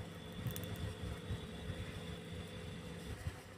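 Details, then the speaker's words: Two-door refrigerator running after new relay and overload replaced both failed parts that blocked current: quiet, steady low hum with faint even tone, no clicking or knocking; compressor and amperage normal. "Ya kompresornya udah bagus nih normal ampernya juga normal benar ya teman-teman ya ya Nah halus risiknya tuh ya sudah bagus sudah masuk ya"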